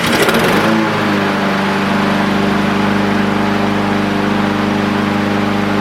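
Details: New Troy-Bilt TB160 four-stroke mower, first start after assembly with fresh oil: pull start catches within a second and settles into a steady, even drone with no misses or knocks; some exhaust smoke expected when new; normal running.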